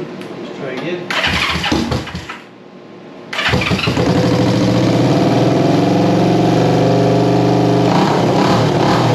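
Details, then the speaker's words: 1973 Honda CB350G twin after fitting a Mikuni VM28 carb kit, first start: cranks, catches and settles into a firm, even run that picks up cleanly when revved; it's a runner, though a leaky petcock remains to fix. "so so hey guys so there you have it it's a runner"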